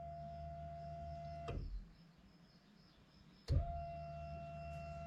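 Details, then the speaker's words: VW Passat B7 2.0 TDI common-rail, electric fuel pump run via diagnostic scanner test to bleed air after fuel system work: steady electric hum with a clear high tone for about 1.5 seconds, stops, restarts; normal priming building pressure. "No i poszła. Idzie pompa paliwa. Słychać jak buduje ciśnienie. Powietrze się przepompowuje do zbiornika."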